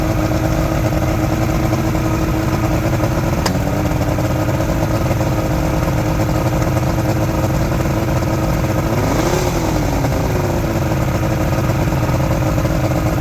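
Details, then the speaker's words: Outboard motor from a junkyard Ebb Tide bass boat, smooth steady two-stroke idle with one short throttle blip rising and falling cleanly, no misfires or rattles; owner says it runs really good and will keep the engine; normal idle. "you know what that engine is running really good and I'm gonna keep the engine"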